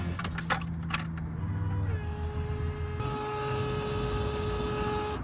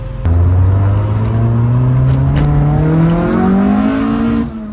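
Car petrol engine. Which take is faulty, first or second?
first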